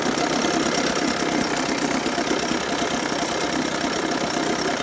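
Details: 1980 Chrysler Sea King 15 hp two-stroke twin outboard, cold, after ignition coil replacement for a quarter-to-three-quarter-throttle misfire: loud, even buzz under throttle without stumbles or dropouts; ignition firing cleanly, no hesitation.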